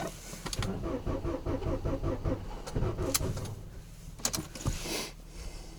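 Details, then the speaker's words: Ford Focus, 5W-30 oil, about −24 to −29 °C, stood 5 days, 2-year-old Akom 60 Ah battery: slow laboured regular cranking few seconds, never catching, then clicks and silence; booster about to be connected; cranks but won't start. "Ну, сейчас будем бустер подключать."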